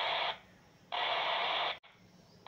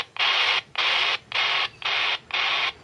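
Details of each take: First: RigExpert AA-230 Zoom analyzer's SWR2AIR feature, received on a handheld radio tuned to 145.150 MHz, with an untuned RTL-SDR dongle antenna. Slow, spaced rushing bursts about one a second. The burst rate rises as SWR approaches 1; here SWR is high. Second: RigExpert AA-230 Zoom SWR2AIR tone heard while tuning an antenna: even high-pitched bursts about twice a second with short gaps. Antenna near 1:1 SWR, almost perfectly matched.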